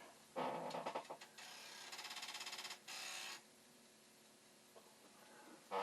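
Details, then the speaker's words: Commodore 1541 disk drive, test-drive mechanism on the problem drive's board, with the head stop adjusted way out of position: quick train of light, even rattling clicks, softer than a normal firm head bump; weak head bump. "See, it's funny, it's not making a real good head banging sound like it used to."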